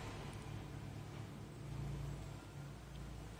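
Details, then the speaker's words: Powered 12 V normally-closed (NC) water solenoid valve for an automatic tap, energized from a 12 V battery after the coil read 30 on the meter: steady low hum and faint buzz, coil working normally. "di sini ada getaran selenoid valve ini adalah yang tipe NC ya atau normal close jadi normal Maksudnya saat dia tidak diberi tegangan listrik bila ada aliran air dari sini"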